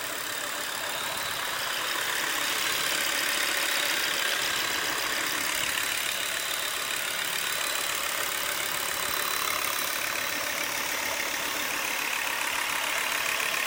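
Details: Volvo V70 2.5T at idle: steady running with a hissy top end and a faint regular tick about three to four times a second, source unclear; abnormal engine noise at idle.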